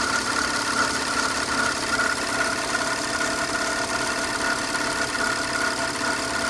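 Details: Audi A6 C6 (2005) idling with a fast, loosely regular ticking over a steady hum, about two or three per second; owner asks what the unidentified engine noise is, cause unconfirmed.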